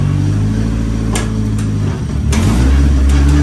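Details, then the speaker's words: Nissan S15 on the lift after a new gearbox was fitted, engine running as it is put into first and shifted up through the gears: a steady drone with crisp, clean engagement clicks and no grinding; the gearbox is working. "And now full first gear. Oh! There's your noise. It's good."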